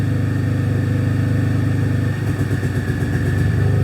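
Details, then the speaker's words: Possibly 2006–2008 Pontiac G6 (complaint: runs rough, check engine lights, antifreeze smell) idling during a scan-tool cylinder power balance test: the idle dips and changes pitch as each injector is disabled in turn, so every injector is working, with good pulse width. "okay start the engine so we can check all of our you hear the change in the pitch of the motor we can disable and check all of our cylin our injectors"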